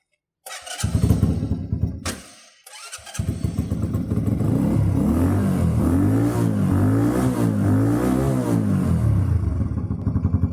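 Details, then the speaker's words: YM50RE carbureted 50cc motorcycle fitted with a 72cc big bore kit: it catches after a couple of cranks and settles into a steady, even putter with light blips. No engine management light; healthy. "That's it for the YM50RE carbureted version. Engine management light's not on, nothing, no issues to this one at all."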